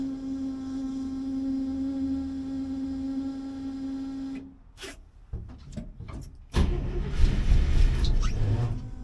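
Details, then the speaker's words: 1964 IH Travelall with a 1963 International 304 on a newly installed Holley Sniper EFI with voltage issues: steady starter whine for about four seconds, engine never starting; cranks but won't start, cause unconfirmed. "Nope. Here's what happens. The frustrating thing is that the engine almost caught just a minute ago."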